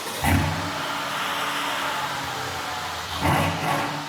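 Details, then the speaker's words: 2018 Mercedes-Benz GLS63 AMG cold start after repair: short crank, sharp rev flare settling to a deep even idle with a second blip; strong, healthy start with no check engine light. "Sounds pretty good. I like it. This is a beautiful thing. No check engine light."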